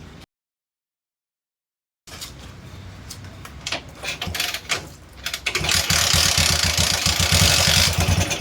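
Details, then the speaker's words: 20-year-old CT 100 single after spark plug cleaned to fix weak spark: after a pause and a few kicks it catches quickly and settles into a steady, even beat; starts cleanly. "[സംഗീതം] അപ്പോൊ നമ്മുടെ വണ്ടിയുടെ starting പക്കാ perfect ആയിട്ടുണ്ട്."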